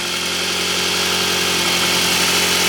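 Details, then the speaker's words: Scion tC idling after a new 250-amp high-output alternator install: steady idle with a faint stutter and a slow rise and fall in pitch. It was hesitant at first, then settled. Owner guesses it needs break-in; cause unconfirmed. "You can kind of hear, you can still kind of hear it like a little stuttering."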